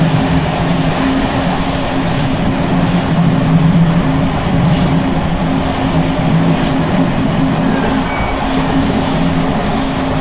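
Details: Bd264 481 coach (built 1979), Görlitz V bogies long overdue major maintenance, evening express on uneven line 190 near Hluboká nad Vltavou–Číčenice, heard from compartment or open window: constant rolling rumble, low drone, loose rattling from bouncing worn brake rigging.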